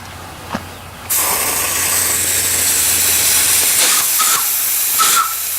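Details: Wood-fired (fir) steam boiler with the fire hot: a sudden loud, steady roar of venting steam holds for several seconds. The safety valve is popping off at pressure; last time it probably lifted around 120.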